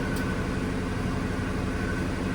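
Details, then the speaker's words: Older Ford F150 that cranked but wouldn't start after sitting over a year, after diagnosis found power and ground at the tank: runs with a steady, even low rumble, no knocks, misses or squeals; no leaks, healthy. "This thing hasn't run in a long time. Look at the windshield. It's been a while. And there you go. She's running."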